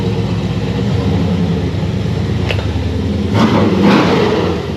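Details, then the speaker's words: Blown Chevy C10 on its first drive after vacuum-leak and timing fixes, reaching 6 pounds of boost: deep, even drone swelling under load, no misses, knocks or rattles; sounds clean and much better, normal under boost. "Yeah, that was good. That's much better. It sounds clean too."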